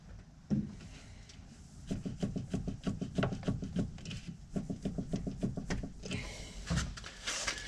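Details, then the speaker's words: Porsche 996 with new inner and outer tie rods, during coilover install: hollow clunks about three per second as the tie rod is shaken up and down, from play inside a worn steering rack needing replacement. "so i have new inner and outer tie rods and what ended up happening when i move it up and down you can actually see this inside here moving up and down and that's what's rattling so that's why i need a new steering rack"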